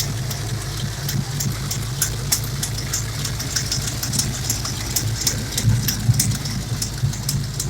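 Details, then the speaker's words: Ford 351 Windsor SVO V8 hot rod, idle after valve lash adjustment: lumpy idle with a sharp, fast ticking puff steady with engine speed, from a bad driver's-side header gasket leak probably around cylinder six; passenger side has a collector gasket leak. "i do notice that this past the driver's side um header gasket um is bad you know there's a leak probably around six i would say"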